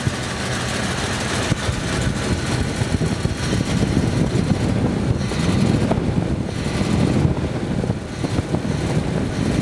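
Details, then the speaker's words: 1951 Ford F3 with a flathead V8, which started instantly: a steady, even low rumble at idle with no misses or knocks. On acceleration one or two cylinders may not be firing; the choke is possibly still on. "Il tourne bien, il se lance bien, peut-être il vibre pas, il est très régulier."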